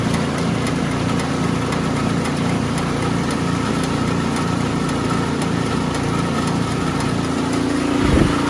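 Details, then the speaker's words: Ariens Sno-Tek 24-inch snowblower, model 920402, 208 cc engine, drive disengaged: steady engine with a light metallic rattle ticking about three times a second from a loose washer, which goes away on engagement; normal. "like that rattling noise watch this it's going to go away because it's just that washer i was telling you about ready"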